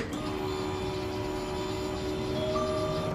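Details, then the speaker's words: Newly installed fuel pump in the tank with a filter, first key cycles to fill the filter before starting: steady high electric whine with a faint even buzz, much louder than the previous pump; normal priming. "dude that's a lot louder than the last pump"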